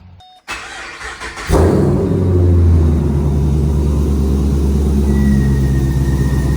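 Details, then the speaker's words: 240,000 km LS2 V8 after switching from 5w30 to 10w50 oil cranks, fires and settles into a lumpy idle with a quick tick from tiny exhaust header leaks; a pulley also slightly noisy. "so I mean other than those tiny exhaust leaks which is all you can hear you can't really hear anything"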